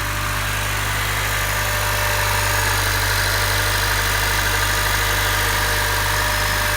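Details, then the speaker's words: Honda K24Z3 K-series petrol engine at idle after a DIY valve adjustment: steady, even hum with no valve ticking; normal idle. "Fire it up. Now you just want to make sure there's no check engine light or anything. Go outside, make sure there's no ticking in the valve."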